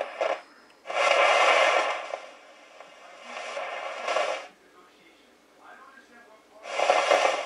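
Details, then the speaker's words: Realistic TRC-451 CB radio after full recap, receiver on: harsh scratchy hiss in loud bursts, like a bad audio tube in old gear; still faulty after new caps, owner suspects a faulty transistor, unconfirmed; receiver static noise. "what sounds like an old leaky old tube gear have a bad audio tube get all noise and Scratchy and stuff"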